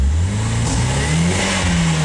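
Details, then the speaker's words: RHD Nissan 180SX engine, warmed up: revs climb unevenly, hesitating near 3,000 rpm with backfire pops from the exhaust; crank angle sensor timing found maxed one way and fuel smells bad; suspected timing or bad fuel, unconfirmed. "Alright, we're warmed up. It's really hesitant. It's backfiring out the exhaust."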